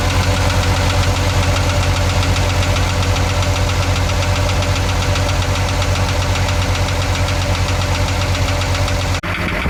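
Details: Isuzu 6BG1 diesel in a Hitachi excavator idling with a steady, hard knock, roughly two to three raps a second.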